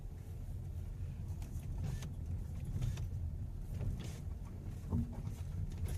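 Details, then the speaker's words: Hyundai Elantra driving over rough road: low irregular thuds and clunks with faint rattles on top; worn engine mount knocking. "Hyundai Elantra engine mounting noise."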